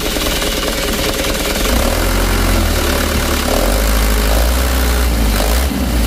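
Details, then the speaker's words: Mitsubishi Canter diesel truck engine (complaint: long cranking, heavy shaking, revs slow to drop) started and revved: heavy clatter climbing with throttle, uneven shaky roughness, slow to settle back to idle; valve clearance adjustment follows. "Kita perhatikan guncangan mesinnya teman-teman. Coba kita gas."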